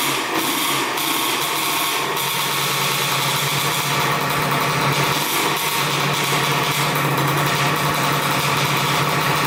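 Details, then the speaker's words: 1984 Yamaha IT200 two-stroke dirt bike after freeing carburetor fuel flow, carb leaking gas slightly: buzzy high-pitched steady fast idle with no misses or knocks; normal running. "you just put the carburetor back on it is leaking gas a little bit but at least it's getting gas now so let's see if it starts up and idles"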